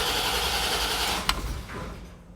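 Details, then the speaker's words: Bone-stock 1989 Corvette, 77,000 miles, on its third fuel pump in two weeks and losing fuel pressure after about 20 miles. Brief fast, even cranking of about 1.5 seconds with no catch while it is primed and smells rich: cranks, no start; cause unconfirmed. "why just why again the car won't start if you go down let's try to prime it all right well it tries but it won't feel the gas"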